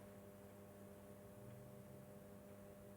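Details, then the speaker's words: Urbis ZX3 400 W SON/HPS sodium street lantern, new old stock from 1994: steady low mains buzz with a faint higher edge while the sodium tube warms up and turns pink. Normal, though a noticeably noisy ballast hum. "really quite noisy there we go that's the sodium tube warming there"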